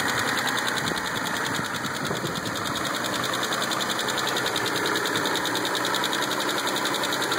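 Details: Mitsubishi 3000GT, started with a jumper box: fast, light ticking about three or four taps a second over the idle; suspected lifter tick, unconfirmed.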